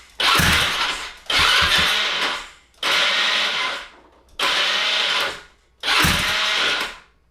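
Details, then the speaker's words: Honda Ruckus (GY6) scooter: five cranking bursts of about a second each with a labored whir that never catches; owner says it isn't igniting fast enough, cause unknown. "You see what I'm saying? Like, it's like it's not clicking fast enough. Like, it's not igniting fast enough or something."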